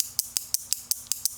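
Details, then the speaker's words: Relay with a diode across its coil: eight crisp, dry clicks about every 0.18 s on a quiet background, sounding no different from the relay without the diode; normal switching. "Same deal, right? You hear clicking, right? Nothing different, right, between this and that."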